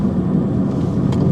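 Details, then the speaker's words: £350 auction Mini Cooper driven home under acceleration: deep, steady exhaust drone pulls cleanly under load with no knocks, bangs or misses; not fast but sounds healthy, normal acceleration. "Let's see what this car's got. Why? Not bad at all. No knocks and bangs, nothing."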